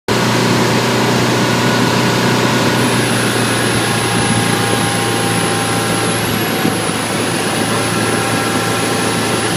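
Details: High-pitched squeal, thin and piercing, cutting in and out over a steady running engine on a 2012 Bayliner 175BR boat with the hatch closed.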